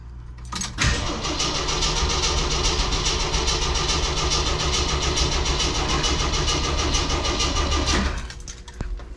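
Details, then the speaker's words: Jeep CJ7 just fitted with a new carburetor, idle about 600 rpm with the carb still needing tuning: brief crank, fires straight away and holds a smooth, quiet, even idle before shutting off; normal start and idle. "did you guys hear it run there for a second I mean 600 RPMs and it was quiet as a mouse started right up that is excellent"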